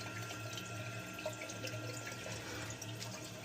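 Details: Kohler toilet running nonstop: water keeps hissing and trickling into the bowl, tank bleeding through; owner first suspected the gray wax ring, then found the leak at the yellow rubber canister flush valve seal (gasket), replaced as the fix.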